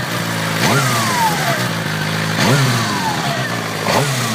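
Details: Suzuki GSXR 600 K6: thin whine rising and falling with throttle blips; persists after replacing the starter clutch and then the cam chain and tensioner, source still unidentified.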